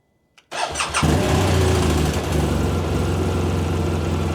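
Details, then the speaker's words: 2017 BMW R 1200 RT after 9 months covered in storage on a battery tender, in neutral: quiet, then under half a second of cranking before it catches and settles into a steady, even idle; a quick, normal start. "Wow. How about that? That's pretty impressive because for it to fire off that quickly after sitting, you know, don't know if it's the climate."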